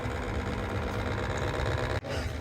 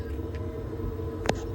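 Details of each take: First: Baxi Potterton Promax 28 Combi ErP boiler in heating mode: steady rough mechanical buzz from the diverter valve motor, found hot as if overworking; cartridge pin moves freely, so the motor alone is worn. Customer says it was louder; new motor silenced it. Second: Baxi Potterton Promax 28 Combi boiler running in heating mode after a new diverter valve motor replaced an overheating one: a steady low hum, with no loud noise in heating or hot water.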